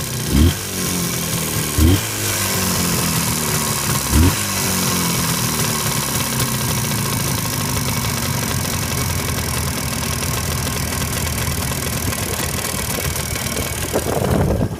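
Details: Jawa 638 two-stroke after a full rebuild, about 80 km since, cylinders bored to sixth oversize with Czech parts and a Polish crankshaft: a loose, uneven knock with a few heavier thuds over a rough idle; source unknown.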